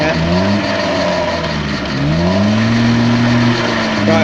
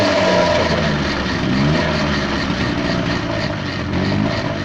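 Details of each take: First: Peugeot pedal moped two-stroke, laid up since 1997: engine dips briefly then picks up cleanly, buzzing pitch climbing and holding; revs nicely and freely. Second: Peugeot pedal moped two-stroke, one owner, stored since 1997, first run after revival while warming up, idle screw set 2.5 turns out: rough, uneven running with raspy puffing exhaust rather than clean idle; restarts easily, exhaust leak suspected.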